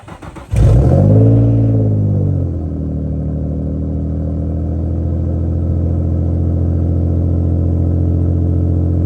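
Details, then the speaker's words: Infiniti G35 cold start, mostly stock with an aftermarket exhaust and running on race fuel: the engine flares, then settles into a loud, lumpy idle with a deep puffing note from an exhaust leak. "basically stock as you guys can hear it's got one halan exhaust leak nothing uh too exciting there"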